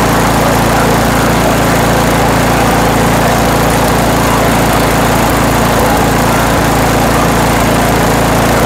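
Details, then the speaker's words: Toro Power Max 828 LE snow blower, 8 hp Tecumseh engine, after replacement with an adjustable Amazon carburetor and main jet tuning: steady, even full-throttle buzz with no surging or stumbling; running smooth and healthy. "okay now the engine's running well nice and smooth RPM at Full Throttle"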